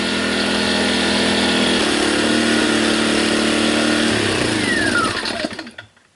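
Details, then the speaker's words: Sportsman 1000-watt surge / 800-watt inverter generator running under light load: steady, even drone at constant speed, then it winds down and stops cleanly. Normal running under light load. "so there you have it um works pretty well it'll run small stuff"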